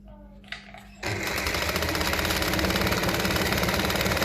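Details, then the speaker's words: Restored 201P sewing machine, re-tensioned, with a new needle, threaded: after a pause it starts into a fast, even stitching clatter. Normal running, fast because the capacitor in the foot control has not been removed. "I know it's a domestic machine but with that capacitor not removed in the foot it's running fast"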